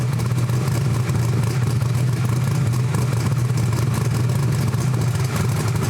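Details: Almost 2,000 hp Camaro engine, warmed up, on the two-step during a low-power dyno pass: deep, steady drone held at one low speed with no climb or spool-up; the engine is bogging because dyno load is too high.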